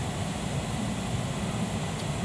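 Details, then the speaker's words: 2003 Jeep Liberty with no air from vents, during blower motor and resistor checks: steady airy whoosh with low, even hum, no rattles or squeal as blower motor kicks in; blower runs normally. "six 7.now I don't know if you can hear that but the blower motor just kicked in you can hear the blower motor"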